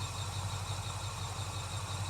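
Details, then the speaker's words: 1979 Chevrolet K20 with a home-built small block 350, after an overheating issue, warmed up with the timing advance blocked: a steady, even low rumble at about 700 rpm, no knocks or misses. The slipped, advanced distributor timing was reset to about 11–12 degrees, and the OEM hold-down was refitted. "So that sound right there, that's about 700. Looks like we dodged a bullet."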